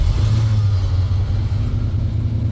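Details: 1977 Ford F-150, engine that wouldn't shut off with the key due to failed voltage regulator, restarted after wiring reconnected: low steady rumble, running evenly with no misses, knocks or surging.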